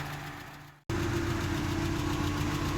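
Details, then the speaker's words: Ford Capri XR2 (turbo), warming idle: even idle with light, quick ticking on top, a little loud up top. "Go from there, but so far, other than that little loud valve noise ticking, other than that, I'm not really too concerned about it."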